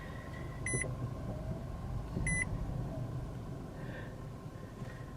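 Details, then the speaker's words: 2022 Nissan Altima SV shifted into reverse: two short high-pitched beeps about a second and a half apart over a low idle rumble; reverse parking sensor working normally. "and then you go there's the parking sensor which sounds like the McDonald's fry timer"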